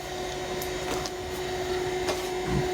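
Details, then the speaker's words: Tandy 2500 XL computer running, with both the hard drive and the case fan loud. A steady whirring drone with a fixed mid-pitched whine and faint ticks from the worn, noisy case fan; the fan is to be replaced. "The hard drive certainly was going to be kind of loud, but this fan seems to be providing a lot of noise too."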